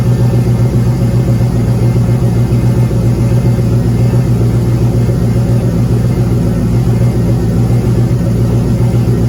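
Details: Turbo 5.3 LS V8 in a Caravan, run with oil pressure gauge connected directly to the block: deep rumble with a dull tap about four per second; owner hopes for a broken ring land but suspects a rod or main bearing knock.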